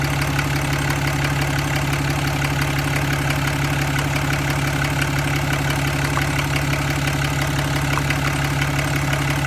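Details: 2015 Ram 2500 6.7 Cummins diesel idling steadily with a fine, fast ticking over the clatter, keeping pace with the engine; source unclear.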